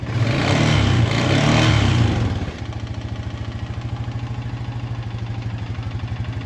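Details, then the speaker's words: 2020 Honda Rubicon 520 ATV after being swamped, on second valve adjustment at top dead center: brief rev then steady loud knock about three times a second; owner fears crank damage; knock persists, cause unclear. "but now i'm a firm believer we're in the right path we still got knocking"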